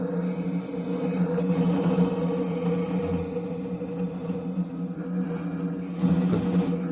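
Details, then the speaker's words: Hovebot S2 electric unicycle powered on: steady, loud, low droning hum, also heard while riding; new problem, sometimes fades during riding then returns. "всем привет такой вопрос присох оверборд с 2 при включении наблюдается шум как бы даже назову скрежет что ли при движении тоже раньше такого не было"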